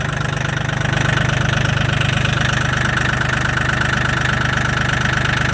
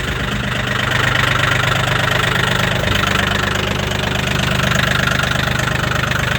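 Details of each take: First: Mahindra 1635 HST cab tractor with 35 hours, cold start at -22°C (wind chill -27°C) after about 1.5 hours plugged in; steady diesel clatter at a firm even idle, started right up, normal cold idle. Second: Mahindra 1635 HST cab tractor diesel, 35 hours, cold start at -22°C after 1.5 hours plugged in: hard, clattery knock about 214 per minute with a slightly uneven beat. Rough idle after cold start.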